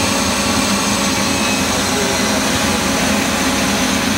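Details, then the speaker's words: Citizen A20 Type VII CNC Swiss lathe (Fanuc control, 2008), spindles at 4500 rpm, microphone about four inches from spindle rotary guide bushing: loud steady high-speed whir, constant pitch, no knocks; normal spindle running. "currently the spindles are running at 4500 rpm and i'm about four inches away from the spindle rotary guide bushing"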